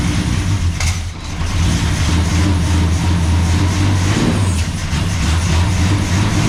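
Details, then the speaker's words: 1969 International C1100 pickup with Valiant 265 Hemi six, first start after sitting years: lumpy uneven idle with wandering beats; rough running from vacuum leak, open brake booster hose; owner also suspects lifters or dodgy plugs. "Will it run? Yeah, it will run. It's running like a bit of a hairy goat."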